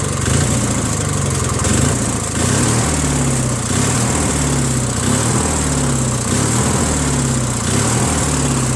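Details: Rebuilt trash-find Briggs & Stratton 16HP opposed twin on a Murray garden tractor runs unevenly, speed swelling and sagging under a throaty note. It surges unless choked; owner thinks the carburetor is missing its Welsh plug, leaning it out.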